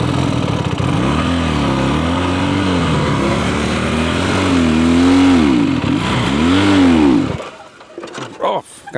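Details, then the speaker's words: Abandoned Honda Dream motorcycle, a small single long stored in a warehouse and saved from the scrapyard, revs up and down smoothly through several throttle blips with steady firing and no misses, then cuts off; runs pretty good, healthy. "Man, what a great bike. Runs pretty good."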